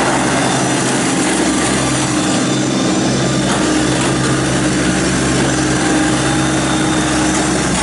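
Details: 2017 New Holland Boomer 24 compact tractor, 24 hp 1.3 L Mitsubishi 3-cylinder diesel, 329 hours, freshly serviced with no oil leaks: a smooth, even three-cylinder diesel chatter at a steady pitch with no knocks, misses or abnormal noise. Normal running.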